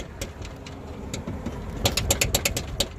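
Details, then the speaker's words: 1982 Ford Mustang GT, newly lowered, with the sway bar removed. Sharp, irregular hard knocks, about six in a second, over a faint engine. The knocking has worsened since the sway bar came off; loose upper control arm. "That is a loud, hard knocking, and it's gotten worse."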